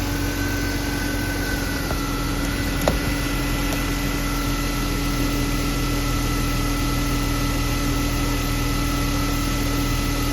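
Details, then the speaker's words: BMW E36 M3 after fixing a ticking/thumping noise by tightening a loose spark plug to spec: smooth, even idle with steady hum and no tapping or thumping, running normally. "Alright, let's get the battery connected, start her up, see how she runs. Look at that, no more thumping."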